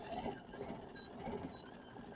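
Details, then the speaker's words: Brother/Baby Lock sewing machine with the stitch regulator in mode one (intermittent/precision) during free-motion sewing: it hums and clatters as two faint high beeps warn that the fabric is being moved too fast. "The machine just regulates just so fast. Okay. And if you're getting a beep, that means you're going too fast."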